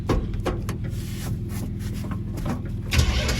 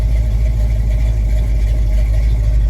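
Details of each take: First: 1983 Chevy C10, Mr Goodwrench 350ci crate motor, cammed, 500cfm Holley 2-barrel, no choke, cold start: starter cranks, engine catches and stumbles, cranks again, then revs rough and uneven before settling; does fairly well without a choke. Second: 1983 Chevy C10 with cammed Mr Goodwrench 350 crate V8 and used 500cfm Holley 2-barrel, no choke, cold start: deep, steady V8 rumble at fast cold idle, even with no misses or knocks; runs fine.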